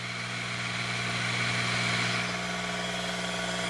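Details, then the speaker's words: Ya Xun 902+ hot-air rework station at maximum airflow setting 8, around 400–450°C: steady motor hum with a fine buzzy vibration and airflow hiss. This is the normal pump noise. "aqui ó barulho dela é a vibração dessa vez igualzinho de ar"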